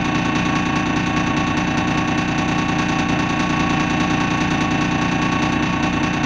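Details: Dennis Dart SLF diesel bus idling: irregular beat of about two pulses a second that wavers rather than staying even; rough idle.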